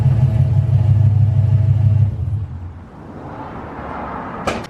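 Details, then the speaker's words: Foxbody with V8 at idle: loud lumpy low rumble and raspy puffing from an exhaust leak, not yet fixed. "as you can tell you can probably hear that exhaust leak it sounds really nasty"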